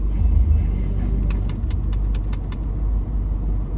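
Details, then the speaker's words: Range Rover L322 TDV8 diesel V8 on cold start: deep, slightly uneven idle with faint ticking and mild surging that should vanish once warm; owner suspects fuel injectors, not confirmed. "a bit of a surging. Can you feel that? It's not actually that bad. But we like to sort these things out as we find them."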